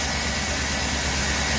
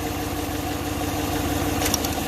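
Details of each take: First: GM 5.3 V8 truck at idle: a steady low idle, a little loud, with no valve-train ticking or knock. A belt chirp and a wobbling, chattering idler pulley were also noted; otherwise a healthy idle. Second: Engine at idle with a low, lumpy, uneven beat; unplugging cylinder 5's coil makes no difference, so cylinder 5 is dead and causing the idle misfire.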